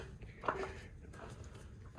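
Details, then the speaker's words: Torque converter being installed into a transmission after the previous wrong converter would not fully seat. Light scraping past the pump and stator engagements, then one solid thud as it drops fully home, properly seated. "Once you hear that that solid thud, that is properly in there."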